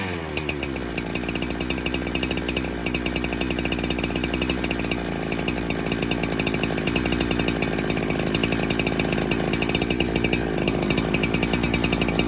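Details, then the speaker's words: 372 clone chainsaw that kept leaning out after fuel was added, warming after a cold start with no leak at first: a steady run whose revs and buzzy pitch climb as it warms, hinting at a lean air leak. "And there is no air leak right now because everything's nice and tight. As that thing starts to warm up, it's going to lean out."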